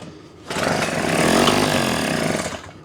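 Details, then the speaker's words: Small engine no-start test on choke with carb spray: fires and buzzes about two seconds then dies, running on spray but starving on its own fuel; points to the carburetor, found to be a clogged pilot jet. "then as you guys saw, it fired right up with a little bit of fuel. So to me, that means that there's something going on with the carburetor, and we're going to take this apart and check everything out."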